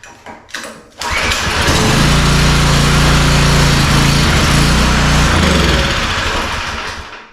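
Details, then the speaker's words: Pressure washer with 4-stroke lawnmower-style engine after carburetor cleaning, full choke and throttle: pull start catches, fast steady beat for several seconds then fades; runs only on choke, main jet probably still too lean. "Well, it's running on choke okay. Alright, so it's running on choke. It actually sounds obviously better than it did. It's running on choke, but it doesn't want to run when we take the choke off."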